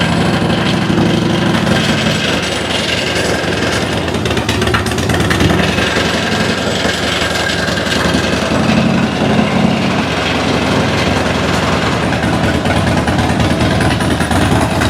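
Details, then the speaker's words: 2006 Harley-Davidson Dyna Wide Glide fuel-injected V-twin with new plugs, on lift: loud ragged uneven beat, cylinder dropping in and out, rattles from items on lift; threw a code; intermittent misfire, cause unknown. "Okay, she is indeed cursed. That is the roughest, poorest running fuel injection I have ever heard. Something has definitely gone wrong."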